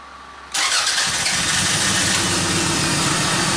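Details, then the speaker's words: 1994 Toyota Camry with a crank-no-start: after brake cleaner is sprayed into the intake, the engine catches and runs steadily, confirming a fuel delivery problem. "Okay, you can see engine is running with the fuel that we added into the intake, which means we have a fuel problem."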